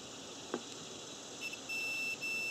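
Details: Bench test of a 1997 Nissan Maxima cooling fan relay under direct power. A faint click, then a steady high continuity beep with only a short break, shows the relay contacts closing properly.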